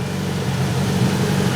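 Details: Grinnall Scorpion kit car, newly fitted radiator cooling fan running at idle, smoke drawn toward it in a flow test: steady even whirr over low idle hum, no rubbing or rattle; fan running normally.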